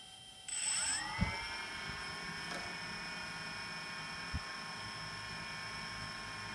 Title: Zenmuse H3-3D gimbal abnormal sound. How to fix this problem ??